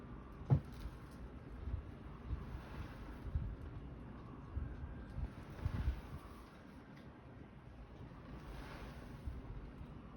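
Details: CATLINK self-cleaning litter box during its cleaning cycle: low motor rumble with sharp, irregular popping and clicking; owner suspects the grey hood seals, and the noise stopped after removing the seals and cleaning the area.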